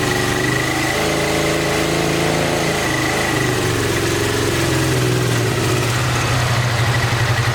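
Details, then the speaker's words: 1986 Honda VT500 Shadow V-twin, revived after years of sitting, on old gas and its charged original battery: lumpy, uneven idle on the front cylinder only, with no spark at the rear; owner suspects a mouse-chewed ignition coil wire and is checking spark. "so i guess we need to check and see if it's firing you could have a mice eaten wire going to the ignition coil"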